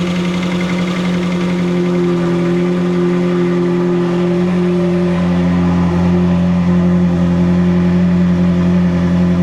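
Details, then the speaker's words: Ferrari 360 V8 running after re-timing exhaust cams, with intake cam assembly marks found one tooth (24°) off: strong, even drone climbing smoothly with revs, no misfire, stumble or knock; smoothest it has run since arriving. "That is the smoothest I can say safely that's ran since it's gotten here."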